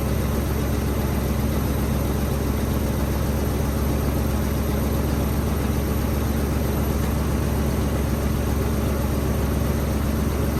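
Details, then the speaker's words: Nissan Hardbody pickup, auction truck sat for months, on fresh gas and a hot battery, with 185,000 miles showing on the odometer: took a while to fire, then a steady, even low idle with no knocks, misses or squeals; normal idle. "well it took a little bit but she finally hit off sounds pretty good too I hadn't heard it running since I got it so yeah I think we need to go for a test drive"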